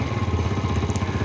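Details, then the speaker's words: 2006–2009 Yamaha Jupiter Z / Vega R engine: steady rapid knocking about eight times a second over idle, deep rattling clatter; worn connecting rod bearing and crankshaft bearing. "ini ya ini kelahar setang sehar kelahar askraknya ini sudah kemakan teman-teman nah cuman ketika saat kita goyang pakai tangan itu dikit ya goyangnya bagian asnya dikit cuma waktu dia ada perputaran dia lama-lama bunyinya keras ya"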